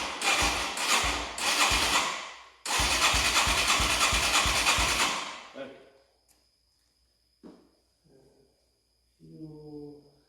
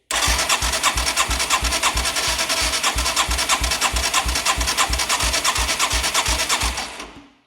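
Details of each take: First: 1989 Yamaha Moto4 200cc quad after timing chain replacement, with new throttle cable: single cylinder races toward full throttle right after starting, then drops out; high idle not fixed by cable or slide adjustment. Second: 1989 Yamaha Moto4 200cc quad after new timing chain: strong, even cranking pulses about three per second with solid exhaust chuff; compression now about 130 psi versus 50 before, healthy.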